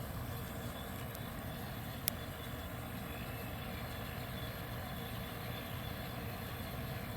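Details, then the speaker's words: 1973 Westinghouse 25-pint dehumidifier, compressor dated early 1973, designed for low-pressure R12 and fan motor possibly at full speed; low, steady, quiet hum with no knocks, rattles or whine; normal running. "amazing yeah this thing is quiet"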